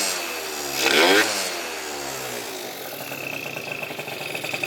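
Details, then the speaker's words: Yamaha Zuma bugeye scooter, 70cc Polini two-stroke rebuild, after fixing a bad exhaust leak at the head: sharp throttle blip to a high buzzing rev, then a crisp, even idle; running healthy. "Exhaust leak all fixed. Glad, because it was leaking bad out the head right there. So now this thing's sounding real good."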